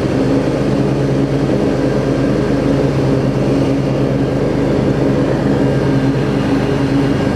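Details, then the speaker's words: Craftsman DLT riding mower, 25 hp Briggs & Stratton V-twin, after carburetor clean and kill/stator wire repair: steady, even drone with blades engaged, no longer surging, occasional slight misfire; running smooth under load and idling well. "it's running smooth now it was 30 million and the idol down it idles beautifully"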